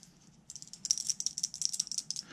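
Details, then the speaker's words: Worn primary-shaft bearing from a 1.4 HDi gearbox (Peugeot 207/206, Bipper, Berlingo, C3), removed and spun by hand, gives dry, gritty rattling clicks from worn races and balls; replacement was justified. "voilà notre dernier roulement alors je sais pas si vous entendez bien mais il y avait bien lieu de de le faire aussi"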